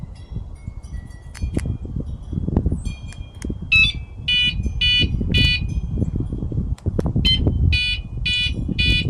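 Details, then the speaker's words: Catalytic converter anti-theft alarm, eight months old on its pre-installed alkaline batteries, gives a short chirp then three quick high beeps, repeated twice: its low-battery warning. "see you it'll make that three beeps when the battery's weak"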